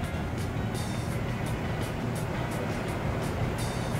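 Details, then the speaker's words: Toyota SW4 (2016 on) powered rear tailgate strut, opened up, motor driving a gear, crown gear and screw spindle with spring: loud steady low motor drone with faint regular ticking, moving slowly and noisily, mainly when raising. "vai lá de novo e barulhento tá vendo ó ó como é que tá barulhento at que para baixar Tá OK mas para subir escutem"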